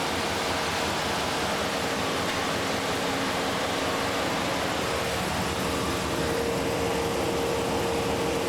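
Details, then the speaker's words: 2003 Dodge Ram 1500 just after a radiator replacement with a new lower hose, clamps and antifreeze: even, steady hum under loud fan and air rush, no knocking or uneven beats; normal idle, no leaks. "Well, running. Can't see any leaks anywhere."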